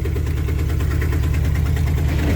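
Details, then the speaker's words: 1995 Ford F-250 4WD plow truck, last road-driven in 2016: deep, uneven rough idle with a loose puffing pulse over the low rumble; an exhaust manifold leak is suspected, not confirmed. "ay [Music] does not sound very good huge exhaust me someplace or nothing manifold it sounds like"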